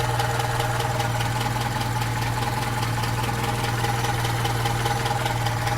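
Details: Opel Rekord P1, steady idle with a fast light clacking of about four ticks a second over the engine hum; source of the clacking unknown.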